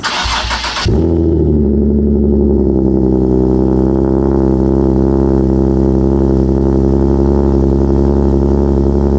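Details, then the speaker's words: Nissan 370Z VQ V6 with DIY custom exhaust tip, cold start after sitting about a week and a half: brief crank, catches cleanly and settles to a steady deep fast idle; healthy cold start. "I'm going to bless you guys with a nice VQ cold start."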